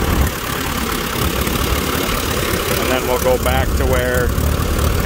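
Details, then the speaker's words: Allis Chalmers WD tractor baling hay in 100-degree heat, ignition timing set back to its old incorrect mark: uneven chugging that worsens as throttle rises, with wind noise; correcting the timing made it run much better. "that idol is not bad but it kind of gets a chugging effect to it and then obviously as throttle increases that gets worse"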